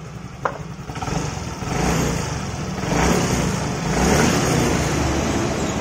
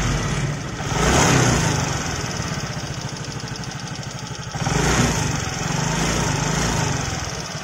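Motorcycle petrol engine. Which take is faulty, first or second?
second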